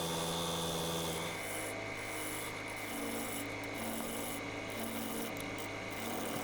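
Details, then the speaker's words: Wood lathe turning a big ash bowl, steady rasping cut with fast regular chatter and a ringing tone; owner unsure whether the resonance comes from the long bar or the 100 mm tool rest extension sections. "can hear that resonance there now I couldn't decide if that resonance was coming from the long bar or coming from those hundred mill sections I put in the actual tool rest extension"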